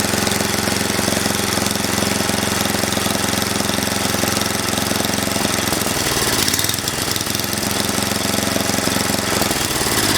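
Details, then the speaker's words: Mastercraft (MTD) 8hp 24-inch snowblower running off choke: uneven chugging at about three to four pulses a second that surges badly. It runs on full choke, and the owner suspects a clogged carburetor; rough running from a dirty carb. "shot a couple of Clips earlier the way it's running surgeon real bad when the choke is not on"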